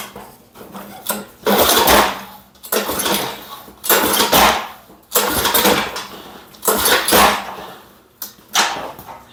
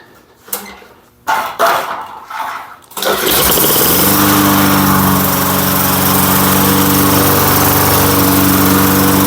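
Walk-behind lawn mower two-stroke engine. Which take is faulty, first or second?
first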